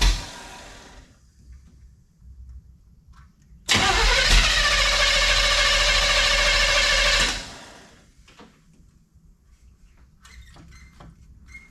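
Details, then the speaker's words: 1971 Chevelle wagon, sat 3-4 weeks, cool 47°F day, brief run to check newly fitted alternator and water pump bolt clearance: cranks, catches, runs evenly a few seconds then shut off; no whine, squeal or grinding; normal running. "Well, I don't hear any major noise, and the alternator wasn't roaring, so good enough."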